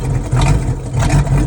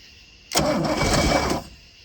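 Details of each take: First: Boat V8 first run in 21 years, borrowed HEI distributor, choke off, fuel fed by water bottle, some smoke: deep steady rumble with slight uneven lope, hitting on all cylinders and sounding healthy; rough idle blamed on the makeshift fuel feed. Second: Boat engine's first fire attempt in 21 years, about 80°F, on starting fluid: cranks briefly, then catches and runs rough and lumpy for four seconds before dying; owner says timing is very late, fuel supply also suspected.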